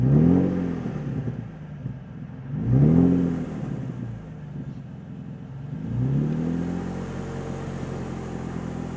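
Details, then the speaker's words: Nissan 350Z with Tomei exhaust, recorded under the car at the flange missing bolts: three sharp blips with raspy chuffing puffs; exhaust leak at header flange. "So this flange just in here, where it's actually missing bolts. It's a good time. We're right under the car. You'll hear the leak now."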